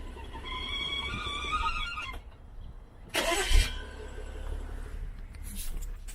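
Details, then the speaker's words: BMW N55 engine idling, likely warm (noise more apparent at operating temperature): wavering hooting whistle from crankcase pressure escaping past front or rear crankshaft oil seal due to seal manufacturing error (SI B11 03 11); replacing both seals recommended. "so the reason why this thing is making noise it's the crankcase it's dissipating the crankcase pressure and it's it's leaking out through the seals go to the front crankshaft seal or the rear crankshaft seal"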